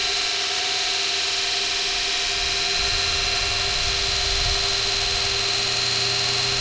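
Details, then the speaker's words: Kostov 11-inch DC series motor after brush and brush ring replacement, running in: steady, even whir with a constant high tone, no scraping or brush clicking; smooth and fairly quiet, normal running. "running smooth and actually not terribly loud"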